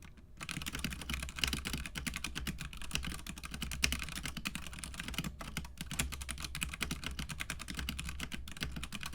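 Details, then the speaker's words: Budget mechanical keyboard, unmodded, that had been double typing: fast typing with hollow, plasticky clacks, loose key rattle on most keys and faint spring pinging inside the board. "mostly all of the keys have some type of rattle and a plasticky sound and if you listen closely and turn it up and go back you can hear a pinging sound of the springs pinging in the board"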